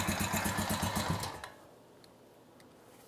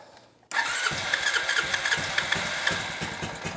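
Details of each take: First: 2006 Honda TRX350 Rancher barn find, after carburetor rebuild, idle raised: single cylinder chugs about four beats a second, falters and dies within a second and a half, acting like the carburetor is flooding. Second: 2006 Honda TRX350 Rancher barn-find ATV, first start after a carburetor rebuild and fuel system cleanup: a brief crank, then the single catches at once and settles into a steady, even idle with a whiff of smoke; normal start and idle.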